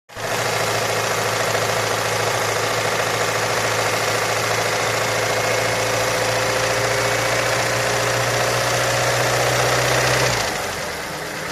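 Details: Ford Mondeo 4 2.3 at idle: fast, even tapping knock running through the idle, about three to four knocks a second; engine knock, cause not yet known.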